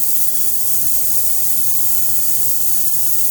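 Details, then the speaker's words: Ultrasonic cleaner tank with very hot water cleaning jewelry at a fire restoration center: even, steady high hiss with no surging or rattles; working normally. "And something like this will probably let it go for about 5 or 10 minutes."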